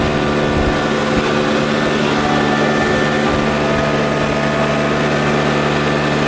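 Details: Troy-Bilt four-stroke backpack blower after a $15 carburetor replacement, blowing grass and blacktop outdoors: constant high droning roar with air rushing, holding steady speed without surging or cutting out; runs great.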